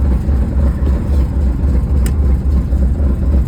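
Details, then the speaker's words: Firebird engine that had been locked up earlier, now refired: heavy, uneven low rumble pulsing about four times a second at idle, running rough. "It sounds like [ __ ] but all right, boys and girls."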